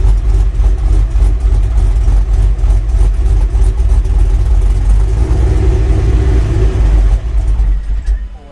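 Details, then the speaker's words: Chevy Silverado on first start after a 6.0 V8 swap, 10-minute break-in, still untuned; a deep uneven idle rising and sagging and nearly stalling, held with light throttle, a rough surging idle. "It's gonna chop. Oh, it just died. But I've got it kind of idling with my foot, just giving it a little gas."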